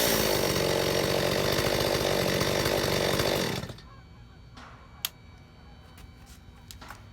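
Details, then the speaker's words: Stihl 025 chainsaw after carburetor overhaul, fuel line and metering lever corrected, mixture screws reset: starts easily, clean steady full-throttle scream, about 13,000 rpm no-load top speed, 2,800 rpm idle; normal running. "This time saw is much easier to start and uh with the settings back to uh you know one turn open and this turn back down. It runs pretty well."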